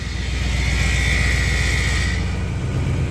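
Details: Ford F-150/Expedition in gear, lightly loaded against the brake to simulate slow driving: a low drone with a tinny metallic buzz over it, the common loose exhaust heat shield rattle.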